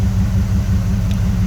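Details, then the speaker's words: 1979 Camaro Z28 V8, one-owner original survivor with under 12,000 miles, started semi-regularly over the years: deep, even exhaust rumble at idle, steady low throb, no knocks or ticks, no smoke, slight compressor belt noise; normal idle. "motor's nice and quiet she doesn't smoke this car is nice as i mentioned earlier i always thought these cars had a great rumble right from the factory"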